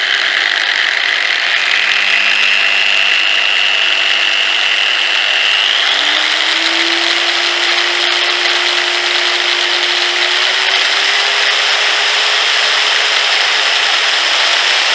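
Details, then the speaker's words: 680 W angle grinder on a variable voltage regulator (4000 W), set to minimum then raised: steady low motor hum stepping up smoothly in speed, no surging, grinding or rattles; normal low-speed running. "Okay, kita try sekarang. Test. Kita try ni. Okay, ini minimum sekali."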